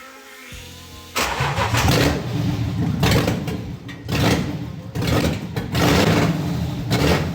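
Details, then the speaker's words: Volvo 240 with a BMW M52 swap, first start with the DME grounded: it fires and runs very loud through an open exhaust, blipped in surges and catching cleanly each time, with a bad smell. Normal start and running. "Oh my god. Shut it. That is so loud."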